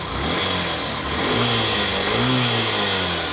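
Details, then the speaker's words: Yamaha YTX motorcycle previously hard-starting and misfiring with weak spark (stator and pulser tested fine, carburetor cleaned), after new CDI installed: catches right away, revs up and down smoothly, crisp throttle, steady idle; CDI was the fault. "at bumalik na yung kanyang pw at stable Nain yung ang Menor hindi na siya mahirap paandarin yan"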